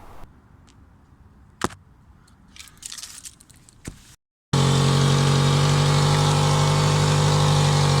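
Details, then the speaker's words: Toyota Celica running with loud rapid puffing drone under mid-car: exhaust leak from a hole, apparently in the catalytic converter just before the O2 sensor, setting an engine code. "Now we have a small exhaust leak somewhere around the middle of the car, and you can see I'm trying to find it using my phone on a stick because I'm kind of too scared to crawl under the car. But it's pretty loud and it's giving me an engine code, so that's what we're going to be fixing today."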